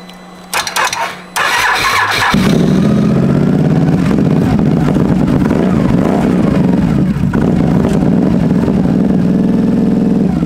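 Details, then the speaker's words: Can-Am Renegade ATV bought cheap off Marketplace with many issues, started in neutral, catches after a brief crank and runs loud and uneven with a ragged beat; blue smoke seen, "that's rings" suspected but cause undetermined; rough running. "Thought I saw blue smoke. It doesn't run very good. I didn't say it ran good."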